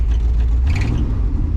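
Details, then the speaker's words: 1973 Ford F-250 restarted right after a full fuel system replacement; deep, even rumble holding steady with no misses, knocks or stumbles, idling smoothly and sounding right. Normal idle. "Oh yeah. Make sure she ain't sticking against there. Oh no. Oh no, she sounds right."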